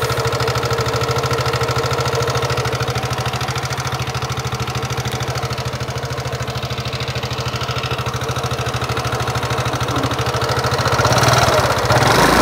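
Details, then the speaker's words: Yamaha NMAX, recently had engine repair with piston replaced, owner complains of rough engine sound: at idle, fast sharp even ticking about three per second, steady; cause unconfirmed; engine ticking noise. "Nyalakan terlebih dahulu motornya supaya teman-teman dan konsumen lain bisa mendengarkan suara motor nmax yang sedang mekanik bengkel lakukan pengecekan ini suaranya seperti apa"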